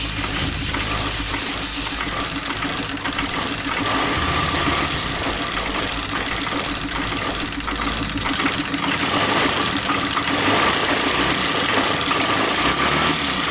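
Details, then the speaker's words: Scooter idle hunting and stumbling with an uneven, lumpy beat, won't stabilise; a small spring and spacer were left out of the clutch cover and are being refitted to fix it: unstable idle. "Oke teman-teman, jadi untuk motornya nggak bisa stabil barusan. Dan sekarang kita coba pasang ini per kecil ini sama ganjalan per ini di bagian deksel teman-teman."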